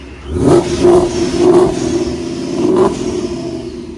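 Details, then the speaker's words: Supercharged Mustang V8 drag car with a new Fast Forward Race Engines built motor and built transmission, first run in months, revved in a few quick blips. Strong pull that settles back cleanly; loud blower, no knocks or rattles, healthy fresh engine. "That blower is very loud. Haven't heard this thing run in months. Heck yeah. Sounds good."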